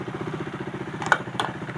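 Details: KTM Duke 390 (2017–2020) after its ride-by-wire throttle fault (P2127, from pressure-washing the switch assembly) was cleared: a quick, even idle pulse stays steady with only a couple of light clicks. The engine idles smoothly and sounds healthy.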